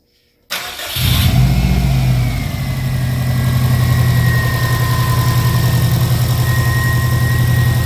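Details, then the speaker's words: 2003 Subaru WRX wagon 2.0 flat-four, 800 miles after removing the Killer B oil pan that caused engine knock: starts quickly, revs briefly, settles to steady even idle with no knock; problem solved. "And as soon as we remove that, problem solved. So it's all good."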